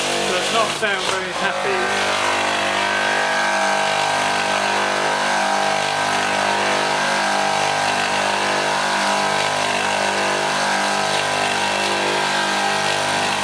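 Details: Copeland ZB42KCE scroll compressor on milk-tank condensing unit, being run warm before pump-down after not pumping: steady hum with rough pulsing buzz, louder and harsher than a healthy scroll; cause unknown.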